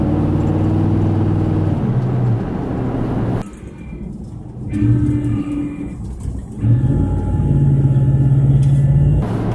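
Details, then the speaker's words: 2004 Ford F-150 with newly installed 9.75-inch rear end, on road drive: smooth engine and road drone with throttle, no whine or howl from the back; quiet rear axle. "So far it's nice and quiet. I put the window up. Give you the same conditions you had before."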